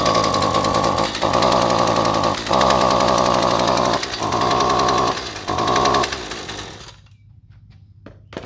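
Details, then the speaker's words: Husqvarna trimmer, two-stroke, running on a generic tune-up kit spark plug instead of the recommended QCJ8Y: buzzy engine cuts out in second-long gaps, surges back, then dies at seven seconds; misfiring on the wrong spark plug. "as you can see that spark plug ran absolutely terrible completely unusable"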